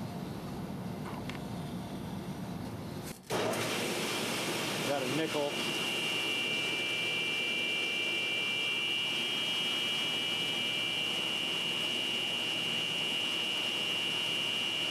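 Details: 1996 Grizzly G1023 3 HP 220 VAC cabinet table saw motor after replacing its 6203Z and 6205Z bearings: brief start-up surge then steady, even hum with clean high tone, no rumble or grinding; sounds healthy.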